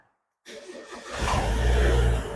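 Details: Gen2 car started with its wiring returned to original and the extra connections removed; silence, then a short crank and the engine catches cleanly into a steady, even idle, a normal healthy start.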